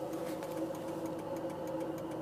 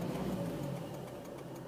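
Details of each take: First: Cold-start rattle on a 2004 Volvo S40 manual diesel with 187,340 miles: fast, even light clicking rattle over a steady idle just after starting, which goes away once the engine warms up; cause not identified. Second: Warmed-up 2004 Volvo S40 manual diesel, 187,340 miles: steady low idle chug, the cold-start rattle now gone; the remaining faint tick is the seatbelt warning indicator, and the engine sounds healthy.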